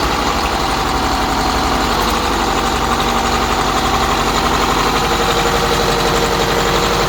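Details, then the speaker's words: MCI custom coach diesel bus at idle: steady rumble with faint constant mid-pitched whine from the power steering pump; a power steering leak still to be found. "power-steering swining on it there is a leak that I need to find in the power-steering"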